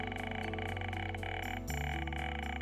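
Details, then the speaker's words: Lorenz Z1 metal detector health test with audio turned up: steady layered hum with a smooth threshold tone, no crackle, noise or frequency jumps over 30 seconds to a minute, showing the detector is healthy and stable. "الان ببینید ما تا ۸ مثبت و نو بردیم و سیستم داره کار میکنه هیچ نویز و صدای اضافه‌ای نداره دوستان این صدا که دارید گوش میدید باید تا ۳۰۰ ثانیه و یک دقیقه روی سیستم بمونه و سیستم هیچ عکس عمل اضافه‌ای نداشته"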